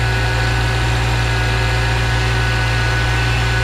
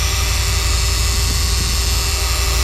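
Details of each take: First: 2014 Subaru Forester after AC repair, engine idling with AC on, heard under the hood: even smooth hum, the previous noise gone, no knocking or grinding; pressures good; compressor healthy. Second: 2014 Subaru Forester with used AC compressor installed last year, AC on, engine running, no cooling: loud harsh roar with steady whining from the compressor, leaking at line o-ring or case seam; compressor must be replaced for the noise.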